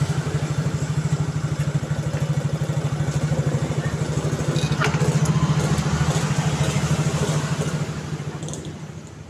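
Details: Yamaha Mio J scooter after repair of a slipping one-way starter clutch: steady even putter at idle with a regular firing beat fading gently near the end; engine running smoothly.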